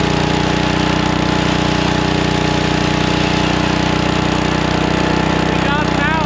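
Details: Lincoln Weldanpower 150 welder-generator, probably 1980s, sitting at least 12 years, now revived: single-cylinder engine holds a firm even drone with a steady hum, no hunting or misses; running healthy and producing power.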